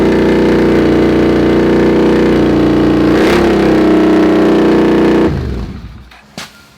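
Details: Honda CX500 scrambler with a second-hand muffler fitted as a clamped slip-on: loud, deep, steady drone with even firing until shutdown; exhaust still on the loud side, a slight leak possible, DB killer considered.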